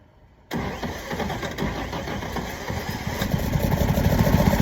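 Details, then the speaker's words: 1951 Chevrolet 3100 six, first start in decades with fresh oil, gas in carburetor and starting fluid: brief crank then rough uneven running, surging as it starves for fuel; fitted fuel pump was the wrong one. "All right, the fuel pump I had was the wrong fuel pump. So I'm gonna call it there."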